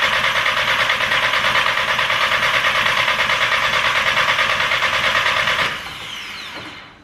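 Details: Audi TT with a freshly rebuilt turbo engine, first run: steady idle with a sharp chuff on every firing pulse, then shutdown; the downpipe loosely bolted to the turbo is leaking exhaust, engine otherwise fine.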